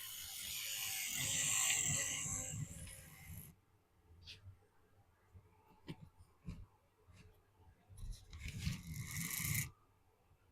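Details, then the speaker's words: OO gauge locomotive on sidings track with poorly glued cork and XPS underlay: small motor whirring in uneven bursts, cutting out and restarting; not shorting, losing track contact in places. "It's not shorting out. There's just a... Yeah, she's losing contact in a few places."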